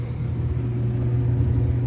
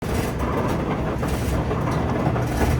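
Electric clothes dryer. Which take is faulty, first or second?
second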